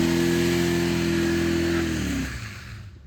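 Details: Ford Explorer 5.0 V8 held at high revs then let drop, with a rough knocking pulse under the engine note; rod knock suspected, not confirmed.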